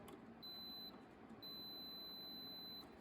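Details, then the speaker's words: Lawn tractor electrical test: a multimeter in continuity mode across the neutral safety switch gives a clear, high, steady beep in neutral that drops out when out of gear and returns, confirming the safety switch is good. "Now when you do contact it, it should beep or light up. Now for the safety switch you put one on the other side. And it should beep."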